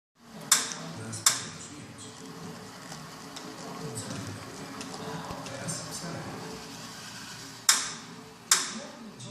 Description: Weird clicking noise while pedalling on kettler racer